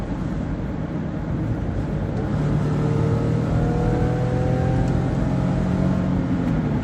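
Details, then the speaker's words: 2002 Toyota Highlander, over 150,000 miles, automatic slow to downshift: engine drone climbing on throttle with coarse raspy edge, seeming to come through the gear selector area; raspy engine noise under acceleration. "but it may like this raspy noise that I did not like at all"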